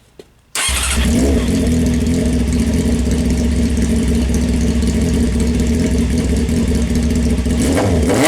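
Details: 1998 Honda CBR600 F3 with a corroded Yoshimura exhaust, before polishing. Catches on the first crank and settles into a loud, steady, even idle with a small blip: healthy start, loud exhaust.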